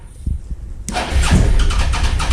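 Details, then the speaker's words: Suzuki SV650 twin auction bike with fresh fuel, weak battery, clutch held: starter churns with uneven chuffs before the engine catches into a lumpy low idle; later died, owner suspects a fuel issue; hard starting. "I'm going to turn it on. Now on start. It'll take some time. There we go. It wants to start."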